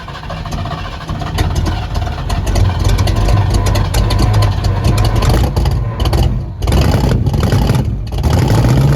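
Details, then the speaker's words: 1973 Ford Mustang fastback with points ignition, revived after 30 years in a yard, running with fuel: deep, even note pulling through several revs, steady low rumble, no knocks or misses; engine healthy, transmission shifting faulty. "man listen to this thing now sounds great okay engines happy transmission is [Music] not"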